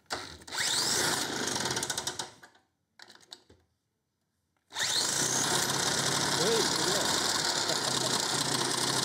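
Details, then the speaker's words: 1950s Ransomes 20-inch Antelope Mk1 lawnmower, 98cc two-stroke, started with drill: screams briefly, sputters out, stalls, then refires; won't idle, very low compression, probably needs new piston and rings. "doesn't want to idle let's try that again ah damn it"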